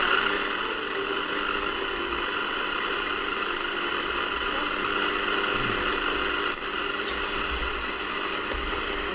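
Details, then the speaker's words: Crown TRF-2200A radio, tuned near 100 MHz FM on a poorly connected telescopic aerial: steady loud hiss and static with a station barely audible; weak reception from an intermittent aerial that needs replacing. "i think that was classic fm although you can really hear it much through noise the aerial seems to be quite intermittent"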